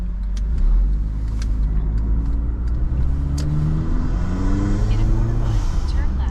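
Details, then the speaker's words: Modded Acura RDX turbo just after installing a high-flow cat and resonator: revs up smoothly with a low, even exhaust drone and no rasp or rattle; the earlier weed-whacker sound is gone and it is quieter, may get rowdier as the parts break in. "Oh, yeah. So, it's quieter as I expected. Um, it may get a little more rowdy as the cat and the uh resonator breaks in. But that god-awful weed whacker sound is completely gone."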